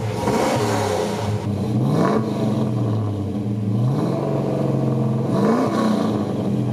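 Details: 1963 Chevrolet Nova wagon with an LS3 swap, about 10k miles since the swap, after a misfire repair: clean, even revving with no stumble. All eight cylinders are firing.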